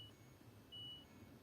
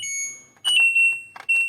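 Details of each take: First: LG washing machine that won't switch on, control module with corroded, shorted traces: only a thin, muffled high beep about a fifth of a second over room hum; barely audible signal from the failing control board. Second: LG washing machine after control module repair (resistor replaced, corroded traces restored), beeper previously very quiet: clear, loud high-pitched beeps in short irregular bursts; panel beeper now sounds normally.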